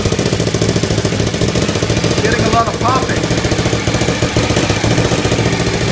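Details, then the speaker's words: Suzuki TL1000R first startup after four-month restoration, exhaust gasket (donut) still missing: V-twin idling fast and uneven, three to four beats a second, popping and hissing from the leak, white smoke; owner suspects the missing gasket. "I'm getting some hissing from the leak. I still haven't got the gasket in, so I can't fix that yet."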